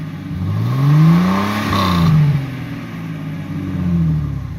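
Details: 2000 Jeep Cherokee XJ, 4.0L inline six, with new MBRP stainless cat-back exhaust; repeated revs with deep smooth exhaust drone rising and falling cleanly, no puffing or ticking leak.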